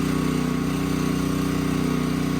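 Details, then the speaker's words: Duromax XP13000HXT generator on natural gas for the first time, unloaded, oil changed, original spark plug, about 95°F, needing four start attempts: uneven, pulsing chug instead of a smooth drone; running rough, owner suspects air in the lines. "I do not like the sound of the motor compared to propane now I have never run it on gasoline so we'll see maybe it's just air in the lines"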